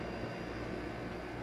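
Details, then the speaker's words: Maytag 5200 BTU window air conditioner (made by Fedders, China): steady even compressor hum and fan rush, no rattle or buzz; now much quieter, normal running. "So, compressor's [Music] on. Yeah. So, much quieter"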